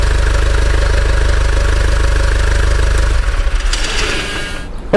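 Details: Common-rail diesel idling steadily during a rail pressure sensor test, with the idle rail pressure stated at about 340–360 bar. Even clatter at three to four beats a second, then the engine shuts off; idle sounds normal.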